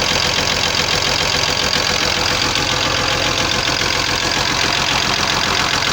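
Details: Cummins diesel at idle: uneven light knock two or three times a second; knock traced to the connecting-rod small-end bushings.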